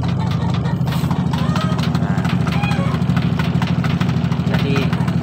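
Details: Samsung Fuzzy single-tub automatic washing machine converted to manual control after failure: steady even low hum from spin motor during spin-dry, no knocks or scraping; drum spins smoothly.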